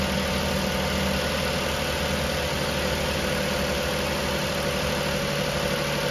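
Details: 2008 Ford Taurus after alternator replacement, with codes cleared, idling: smooth, even low hum with no ticks, squeal or bearing whine. Charging rises to the 13–14 V target, so the engine and charging system sound healthy.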